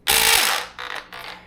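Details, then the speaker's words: VFC MP5 airsoft gun after someone's failed upgrade (said to only need shimming): one short buzzing burst on trigger pull that dies at once, then faint clicks; motor seems not to engage, gearbox not cycling, cause not yet found. "Right now, it doesn't do anything. It sounds like the motor's not even engaging."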